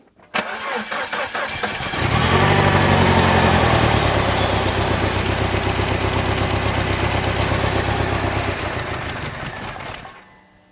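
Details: Rebuilt R56 Mini Cooper S N14 engine, first start after head refitted: cranks, catches and runs unevenly with a lumpy pulse for several seconds, then dies; a mistake made during reassembly is blamed, with timing reportedly still correct.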